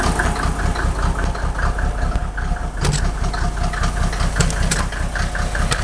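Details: Mercedes OM603 diesel, cold: idle chugs unevenly about two and a half beats a second with dropped, stumbling pulses, misfiring; smoke drops only with injector lines 2 and 6 cracked, glow plugs tested fine, still rough warm; cause unconfirmed.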